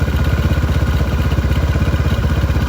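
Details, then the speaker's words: Youth kids' ATV small carbureted engine, cold start with choke on and no throttle, choke backed off as it warms: steady even low putter with quick regular pulses, no knocks or misses; idles up cleanly while warming. "It's running. You'll slowly back off the choke as it warms up. You hear the motor start to idle up."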